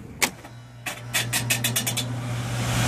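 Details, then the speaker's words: Old York package unit blower (evaporator) motor, jumped to run: scattered ticks, a quick run of scraping clicks, then a steady low hum; suspected worn motor bearing losing alignment and rubbing, before motor replacement. "sometimes you'll get there if the bearing in the motor is and it loses its alignment kind of"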